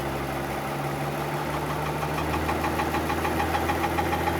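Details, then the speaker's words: 2015 Mercedes-Benz S65 AMG after full engine rebuild, new starter motor fitted: quiet at idle, light fast regular knock when revving; new starter touching something, noise gone after loosening starter bolts; modification needed. "starts knocking. That's a starter motor bolt, so in theory if I'm going to loosen that bolt, the sound should go away."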